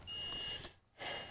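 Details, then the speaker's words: Hulkman Alpha85 jump starter connected to a car whose engine or starter may be seized: two shrill half-second beeps with a short gap signalling error 2, car battery dead; cleared by pressing power and LED buttons together. "We're throwing an error code already on the Hulkman. You can hear it. We've got an error 2. And you can turn it over to the back and you can see that a error 2 is car battery dead, press power, LED button simultaneously, right."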